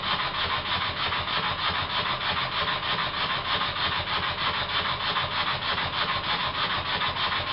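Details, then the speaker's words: Very old Stuart S50 steam plant engine, reassembled with a new valve rod and valve timing set fairly accurately. Steady, even chuff at about three beats per second with no knocks or stumbles. Normal running with plenty of power. "I've set the valve timing fairly accurately and I'm surprised as it runs this well there's plenty of power as well"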